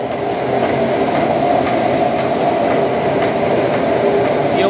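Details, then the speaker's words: Ice cream machine motor test after replacing cracked bearing that caused a ticking "tig tig tig" noise: smooth steady hum with constant high whine, no ticking or rattle; the noise is gone. Normal running after repair. "Nag-testing na tayo, you know? Yan. Nawala na yung ingay."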